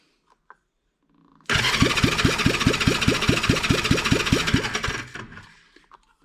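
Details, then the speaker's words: 1975 Honda CB360 engine, compression test while cranking, about 50 psi versus usual 150: light, quick, even starter cranking around two and a half strokes a second; low compression. "and it looks like right around 50 pounds compression that's not good I got a feeling that it needs a little bit more usually these motors are about 150 pounds compression"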